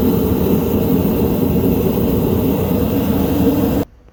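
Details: Repaired dual-fuel kerosene heater, running with the lid back on: steady, even roar of burner and fan with no sputter or pulsing, then a clean cutoff. Normal running after repair.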